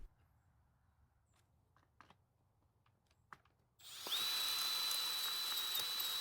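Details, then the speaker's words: Troy-Bilt 4-cycle trimmer with drill-driven ratcheting starter adapter: only steady high drill whine, no compression pulses or turnover; adapter freewheeling without cranking the engine, cause unclear, fuel unchecked. "So that did not go according to plan at all. In fact, nothing happened. Now, I don't use the drill attachment all that much, so I'm not really certain if it's supposed to sound like that."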